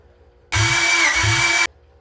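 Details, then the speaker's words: Rebuilt Honda B16 engine in a Civic, during a compression test reading about 155–175 psi per cylinder: strong starter cranking with even, solid compression thuds; healthy cranking. "Yeah. Well, she sounds healthy. Cranks over well. Makes a good thud."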